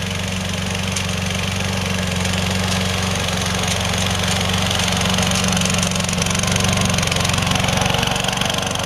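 Small single-cylinder engine holds a steady, even buzz at constant speed with no stumbles or knocks; it runs cleanly like new.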